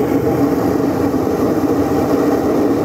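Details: Alto TX15 active speaker powered on; constant loud hiss and low hum with a faint radio-like tone.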